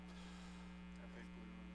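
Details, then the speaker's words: Old pinball machine; constant low hum through the speaker as a weak or bad large filter capacitor lets AC ripple into the DC supply. "So when capacitors are weak and capacitors go bad, you actually get that AC ripple, we call AC ripple, into the DC. And if you can listen to this, you can hear hum."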